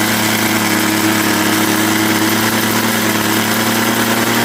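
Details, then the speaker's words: Craftsman 21cc Bushwacker two-stroke hedge trimmer, started after sitting almost a year, choked then half choke: steady, even buzz at idle with no misses or hunting, holding a constant note; runs cleanly. "And there you go. And I'll just let it idle for a minute here."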